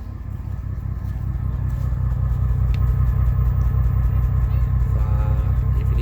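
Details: GMC Envoy, hood open, running rough with lost power: uneven loping idle with a stumble two to three times a second, sounds like a misfire; owner suspects a bad cam sensor, cause unconfirmed.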